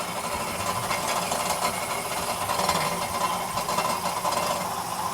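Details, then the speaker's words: 2011 Ford Fiesta MK6 1.25 at idle, heard from underneath: metallic clattering felt through the pedal like a heavy misfire, worsening as clutch is engaged and disengaged; fault within clutch/gearbox, requiring gearbox removal and clutch replacement. "So it is something within the box when you engage and disengage the clutch. So I'm afraid this is going to be a gearbox out job."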